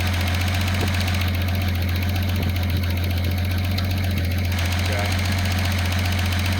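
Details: Datsun 280ZX turbo idling with fan unplugged: after mixture moved from max lean toward richer, steady even low rumble with no misses or hunting; idle smooths as mixture richens.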